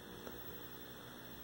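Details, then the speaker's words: 1974 Zenith 17" Chromacolor II colour TV: steady low mains hum with hum bars, intermittent and worsening; owner suspects the power supply filter can intermittently opening or a loose connection, unconfirmed. "it's obviously intermittently opening and I'm getting hum bars don't know if it's a loose connection or what"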